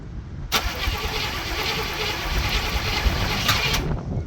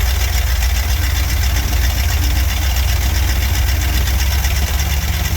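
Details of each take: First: Barn-find Cadillac 7-liter V8, first start attempts after 30+ years, on charged battery: starter cranks evenly about three seconds, engine never catches; no fuel getting through yet, fuel later seen reaching sediment bowl. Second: Barn-find Cadillac 7-liter V8 after new spark plugs, first run in 30+ years: deep steady low rumble with even beat, no knocks or misses; big V8 idling smoothly.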